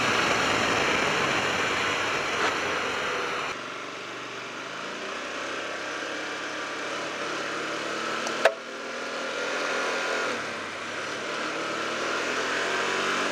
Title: Hyosung GT250R Odd Backfiring Sounds